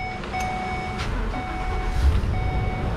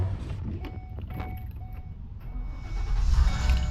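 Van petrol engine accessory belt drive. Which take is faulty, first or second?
second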